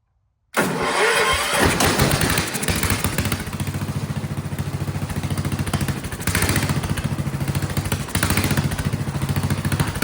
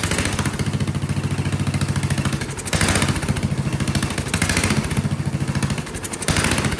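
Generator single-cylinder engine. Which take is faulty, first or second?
second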